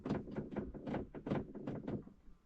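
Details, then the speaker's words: 2012 Dodge Caravan: rapid, dull plastic clicks of four to five a second from the rear, with a delayed heater and a blinking rear defrost light. A failing rear blend door actuator is suspected. "So, basically, guys, what's happening is you're having an issue with the blend door actuator."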